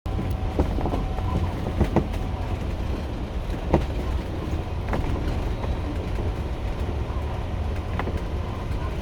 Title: 2022 Renegade XL knocking noise 2